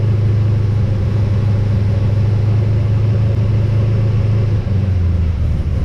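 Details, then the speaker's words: XG ute just fitted with CNC-ported heads, a VCM 13 cam, standard pushrods and fresh oil, warming up. A strong, steady low rumble with an even firing beat and no knocks or ticks: healthy idle and revving. "so [Music] so how good does that sound"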